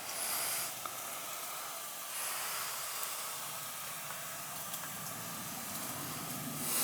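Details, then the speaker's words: Basement ceiling with nothing running: a steady, even high hiss from a cold water supply line. Pinhole leak in the water pipe. "Now, what am I hearing right now over here? Over here. I know I hear water, but why? There's nothing running."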